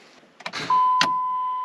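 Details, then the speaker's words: 2005 Dodge Ram 1500 4x4 after a Hemi swap from a donor truck with a new fuel pump, antifreeze just topped up: a single sharp click at the key, then only a chime; it never cranks, cause not yet investigated. "clicks well that's not good I guess I will investigate as to why it just clicked"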